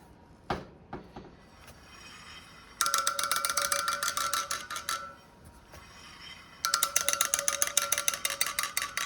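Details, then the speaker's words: Honda Shadow 750 (chain drive) front spoked wheel, spokes tapped on both sides during winterizing service: two quick runs of light taps, every spoke a clear bell-like ping; tension even, none loose, all sound good. "Listening for a different uh tone. They all sound good. Check both sides."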